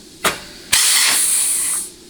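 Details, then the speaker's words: 4L80E rebuild, case air check of low reverse: a sharp puff, then a steady high hiss fading out, air escaping because only the gasket separates the four plate ports, yet it still applies really nicely. "All right, hear all that air escaping. There's nothing but gasket between all 4 of these ports here in the plate."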